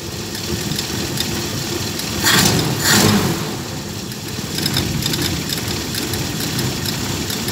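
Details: Carbureted vehicle, after the carburetor was cleaned and a gasket kit fitted: the engine catches and settles into a steady idle, and two quick throttle blips rise and fall cleanly with no misses.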